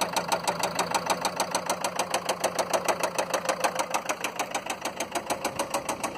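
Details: Land Rover Freelander 2 diesel at idle with lots of diesel smoke; sharp, even clatter of about three knocks a second well above the engine hum; loud diesel knock, owner suspects bad injectors, cause unconfirmed.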